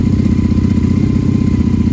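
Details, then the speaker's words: Honda Magna motorcycle, not run for a while, started on choke and idling to work gas through: even, steady idle with a regular low pulse, no ticks, knocks or stumbles; normal idle. "Sounds good as always. Makes me want to jump on her and take her for a spin."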